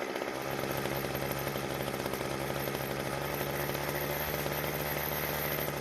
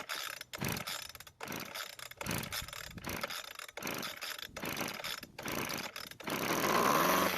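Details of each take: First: Weed Eater hedge trimmer after replacing the brittle, leaking fuel lines and the primer bulb: the two-stroke holds a steady, even buzz with no surging or stumbling. Now runs smoothly. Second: Weed Eater hedge trimmer with air filter off and gas poured into the carburetor throat, flooded from too much gas: repeated rope-pull rattles with no firing until it finally catches; brittle fuel lines found leaking.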